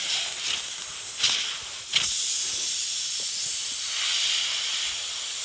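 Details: Continuous sharp hiss of air escaping a tire punctured by a large self-tapping screw, in cold weather, with no engine running; the tire is leaking through the puncture before it is plugged with a repair kit.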